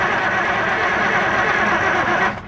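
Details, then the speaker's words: Older John Deere auction scraper diesel, no start (customer suspects injection pump); fuel supply unclogged: steady whirring crank with no firing, still no fuel from supply line, lift pump suspected. "and still nothing so it's gonna lift pump actually"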